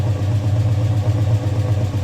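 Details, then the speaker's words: 1965 Chrysler Valiant AP6, fairly warm at idle: a low rumble with uneven blipping as beats drop out, an intermittent misfire from spark cutting out. Plugs are to be pulled to check for wetness, and the head was never pressure tested. "I might be able to hear that sort of blipping. Oh, the spark's cutting out."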